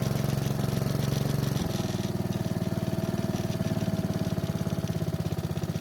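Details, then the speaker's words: Honda walk-behind mower that started but smoked, ran poorly and lacked power, test run after fixing a fouled spark plug, old gas and a dirty air filter (old filter reused): small single settles into a steady, even putter; normal running. "So it seems like the fouled spark plug, old gas, and the dirty air filter were the main reasons for it smoking and running poorly."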